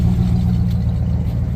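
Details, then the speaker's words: Restored Pontiac V8 on its first drive in 50 years: deep steady idle burble with an even, equal exhaust note and no misses or knocks. No compression test yet, but it seems healthy. "exhaust sounds exhaust is equal and sounds good I haven't compression chest yet but I don't think it needs it"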